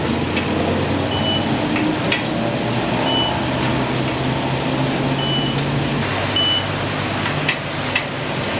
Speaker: I'm going to fire it up, see how this thing runs first. Let's do it. That is music to my ears.